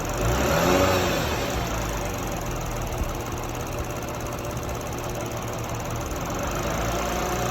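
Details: Toyota 200-series Crown 3.5 Athlete, 65,000 km, oil changed every 3,000 km, recently bought: steady engine drone with a light clattering rattle and a whine that climbs briefly; owner seeks the cause, which is undetermined.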